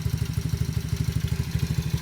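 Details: 125cc ATV idling after no-start repair (new relay, ignition switch, spark plug, carburetor, intake manifold gasket, battery, rectifier, fuel line and filter; rusty tank flushed), fuel petcock left off: steady, even thump about eleven a second, no misses; runs great.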